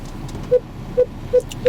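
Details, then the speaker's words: Volvo XC60 reversing with aftermarket twin-camera system fitted: short mid-pitched parking radar beeps, spacing tightening while backing up over quiet idle; sensors working normally. "Well, there you go, you can hear the radars kicking in now, and sure, we can't see the radar little graphic thing, yeah?"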